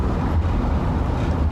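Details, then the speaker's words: Van on a test drive after all brakes were replaced and the pads were reworked: only a steady low road rumble, no squeal or scrape from the wheels; the earlier noise is gone and the brakes run quiet, though the owner is cautious it may return. "now it appears to have solved the problem like that noise is no longer there which is great"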